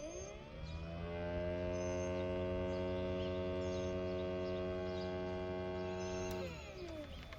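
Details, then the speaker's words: New inverter coolant pump for a 2009 Toyota Highlander Hybrid with codes P0A93/P0A05, tested on the bench: spins up quickly to a steady, even hum with a clean whine, stronger and faster than the old pump, then stops smoothly. Normal electric pump running. "This new pump is pumping, you know, strongly. It's pumping fast than the old pump."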